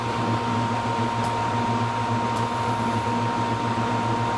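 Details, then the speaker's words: 400 CFM sound-enclosure exhaust fan on an E4X control panel with Pico thermostat, switched on in hand/manual mode: steady airy rush with a constant mid-pitched hum and no rattle or wobble; fan running normally. "Okay, it's in hand operation at the moment. This is manual control. Fans on."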